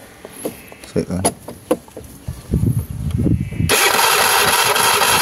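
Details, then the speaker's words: Honda Vario 110 carburetor scooter that had died with no ignition and no charging; after ignition restored (spark normal, horn, starter working), a few starter whirrs and coughs, then the engine catches and settles into a steady even idle; normal start. "Oke ini pastinya motor sudah nyala kaan sekarang"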